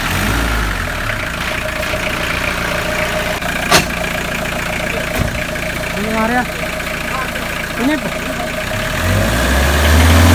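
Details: Tata Sumo direct-injection diesel after long standing: steady low clatter settling into an even idle with no misses or knocks; engine sounds healthy.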